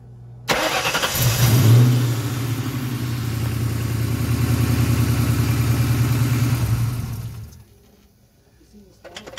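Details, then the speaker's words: Donor car found for a 280Z/240Z drivetrain transplant: the starter whirrs briefly, then the engine catches cleanly and settles into a steady, even low rumble, with some smoke, before shutting off. A normal start. "yeah that's nice it barely does anything and it starts to smoke that's good right that's a good thing"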